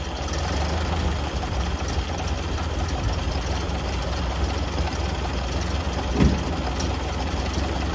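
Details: Late 1931 Ford Model A after fuel-system repair with lines reconnected and no leaks: low, steady four-cylinder idle with an even beat and no knocks or misses, the engine idling normally.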